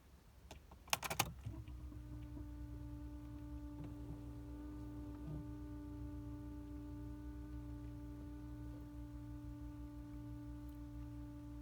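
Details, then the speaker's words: New Messmer in-line fuel pump hums: after a few clicks a steady, loud, even electric drone sets in, and it is also heard in the cabin with the engine running. The pump was replaced. "так он, короче, гудит. Заведенный тоже слышно в салоне."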